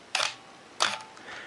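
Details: Minolta X-700 35mm SLR, lens removed, shutter at 1/2 s. Two crisp clicks about two-thirds of a second apart as the shutter opens and closes cleanly; normal shutter release at 1/2 s.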